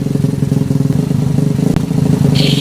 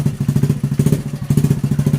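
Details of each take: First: Honda Revo Absolute single-cylinder motorcycle, pops into gear and dies at idle in gear; harsh clattering roughness at fast idle when clutch pressed, clutch/shift mechanism assembled one tooth off. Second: Honda Revo Absolute motorcycle after clutch repair, previously jumping when put in gear with rough noise on clutch: steady, even engine pulse with low throb, no clatter or grinding; clutch and gearbox now normal.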